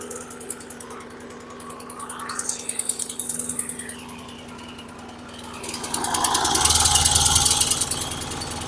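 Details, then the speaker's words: 2014 Troy-Bilt TB130 push mower on a cold start, needing an air filter and oil change: steady, heavy chugging that swells and fades, with black smoke. Running rich because the choke was stuck closed; it later stalled. "it's running rich [Music] you can really see the black smoke this thing is running really rich I can see the choke hasn't opened up yet"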